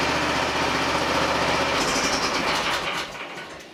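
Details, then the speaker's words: Small hydraulic pump rigged as a motor for a DIY mini excavator mower, first run: even mechanical whirring with a fast steady pulse that winds down smoothly; runs normally with no leaks, a broken pulley caused the vibration. "Looks like we got a winner. Gee, I don't see anything leaking either. This pulley's all broke up, that's why it was vibrating."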